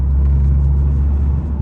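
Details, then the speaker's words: 2005 Volvo S40 T5 at 60 mph in fourth gear, transmission shifting slowly and slipping: steady low droning rumble with a vibration of unknown source that doesn't sound good. "that vibration like I don't necessarily know what that is but I know it don't sound good"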